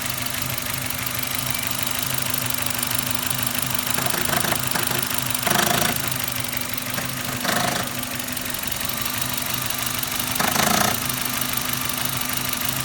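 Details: Suzuki Ignis M13A petrol engine idling with a sharp, regular knock in step with engine speed, louder than normal running noise; engine knock, cause still unknown.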